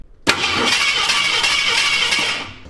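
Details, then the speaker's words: Ford 360 FE turbo V8 in F100 after failed cam break-in, cranking: fast, even spin with no compression pulses, cylinders five and six zero compression, distributor not turning; timing chain failure suspected (or distributor gear, shaft, camshaft). "Engine spins, distributor does not. I'm betting that either the gear on the bottom of that distributor is eaten alive or the distributor shaft broke in half or the cam shaft broke or the timing chain broke."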